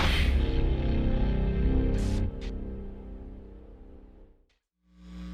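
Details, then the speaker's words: Soundstream micro car amplifier: steady low layered buzz in the output that cuts out briefly, caused by interference from a nearby battery charger; amp possibly lacking input filtering. "this is a noise I'm getting through this amp but it's coming from the charger that's charging a battery but I have that going all the time and I usually don't get this noise"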